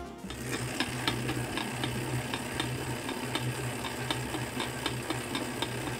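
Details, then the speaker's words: Tacx Neo series or Flux S/Flux 2 trainer while pedaling: sharp cracks about once or twice a second over a steady hum, from a lack of grease on the axle spacer or cassette body. The fix is to clean and grease them. "pedaling it could be due to a lack of grease on the spacer or cassette body in the trainer axle"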